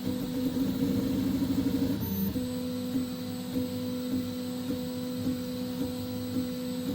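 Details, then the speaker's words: 3D printer with Fibre steam HGX extruder and Goliath hot end: a steady motor hum with a sharp knock roughly every 0.6 seconds at each fast direction change. Knocking comes from excessive acceleration settings jolting the frame. "ones can hear the knocking sound of the high acceleration"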